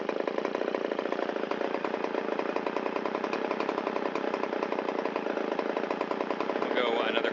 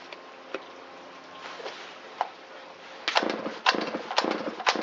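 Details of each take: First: Shindaiwa 360 chainsaw, long-stored, Walbro WT-89 carburetor, after idle mixture screw turned in to cure a rich dip, air filter and cover still off: fast, even two-stroke buzz, no stumbling or surging, idle RPM rises. Normal idle. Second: Shindaiwa 360 chainsaw with Walbro WT-89 carburetor, long-stored, first test run after repair, choke in: sputtering pops then ragged bursts that stumble when throttled; bogs off idle and won't reach full throttle, mixture too lean at idle.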